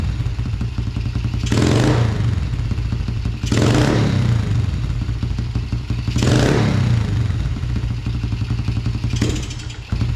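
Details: 2000 Yamaha TTR90 single-cylinder dirt bike, carburetor refitted after falling off, airbox off: thumping idle that stumbles briefly on each hard blip before picking up; slightly doggy on snap throttle, lean running suspected without the airbox.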